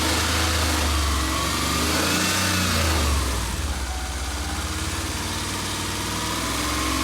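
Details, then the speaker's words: Reinstalled Subaru EJ22 warm at idle after the oil level was checked: faint, quick, even ticking, much better than before; tick fading, while a second noise is suspected at the timing belt rollers. "all right well it sounds a lot better you can kind of hear the ticking a little bit it sounds a lot better"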